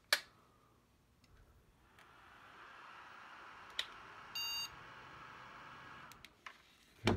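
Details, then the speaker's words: Single short POST beep at power-on with fan spinning up, Asus Zenith Extreme Threadripper build with four RAM sticks in slots B1 A1 C1 D1; previously three-beep memory error codes, this time only one beep. "okay we got a single boot code that time which is interesting"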